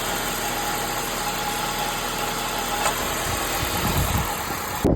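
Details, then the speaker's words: 2004 Honda CR-V K24, first start after replacing the VTC actuator for a VTC rattle: smooth, steady idle with an even hum and no rattle or knock. The engine is running healthy. "I'm gonna fire it up. Got the light to go there. Running great."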